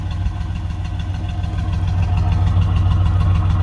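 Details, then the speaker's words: 1968 Pontiac Ventura V8 after replacing the worn factory exhaust with a budget universal single exhaust and Thrush muffler, heard from outside: low, even burble swelling with revs, no rasp, leak or rattle. Sounds much better; normal exhaust note. "Score 1 for a budget exhaust system. What do you think, old girl? Big booty. Listening to it outside, it sounds way better."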